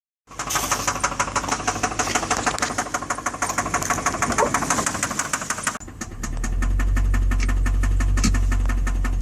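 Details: 2006 Infiniti M45 V8 after cranking start, idling with steady deep knock about three a second; rod knock confirmed by metal shavings in oil pan; no check engine light or OBD2 codes, very low power.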